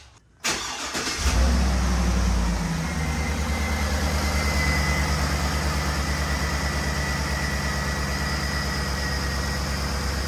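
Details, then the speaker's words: Cadillac Escalade V8 with a new belt tensioner fitted for a recurring GM belt squeak that chirps in rain: cranks, catches and settles into a steady, even idle with no belt chirp; owner expects the squeak may return when driven. "well of course she sounds good for now but it's probably going to end up squeaking again"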